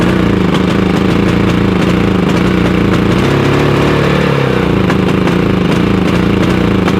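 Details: Harbor Freight Predator 5000 generator on gasoline runs at steady speed with an uneven, lumpy beat and stumbles. It runs the same on propane, where it also backfired. Owner suspects a fault common to both fuels; cause unknown.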